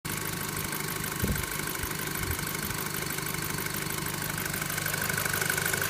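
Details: VW Golf 5 GTI petrol engine idling: a light ticking and a thin bell-like ringing tone creeping in toward the end; strange noise, source unclear.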